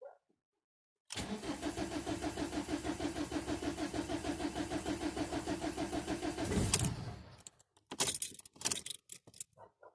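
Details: Ford Mondeo Mk4 1.8 TDCi diesel, hard cold start: starter cranks in a steady chug, about three turns a second, for over five seconds before the engine finally catches.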